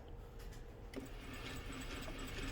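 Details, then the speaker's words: Basic 3/4 hp 550 W brushed servo motor with small clutch cork brake on a sewing machine, set to very slow speed: a switch click, then a faint, even low hum with no knocks or grinding; quiet and healthy. "that's the motor running at a very slow speed. So I've got it set to a nice slow speed."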